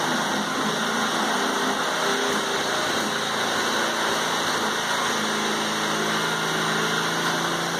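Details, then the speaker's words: 1980s Honda rototiller at first start in about 10 years, with old but clean oil, started on the second pull. The small engine runs at a steady, even speed with no knocks or misses. Normal running. "so the old Honda lives up to its name as far as quality started after the yes second pole"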